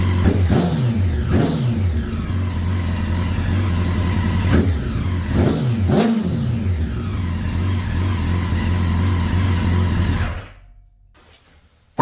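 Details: 2009 Honda Fireblade CBR1000RR that sat outside in an auction lot for some time, with the battery not fully charged: revs rise and fall unevenly with hesitant blips and no settled idle before it shuts off. Rough running.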